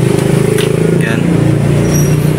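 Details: Carbureted motorcycle single after the loose knotted wire connection was soldered, started without the ignition key: quick, even exhaust pulses with firm low thump, no misses or stumbles; firing cleanly, normal running.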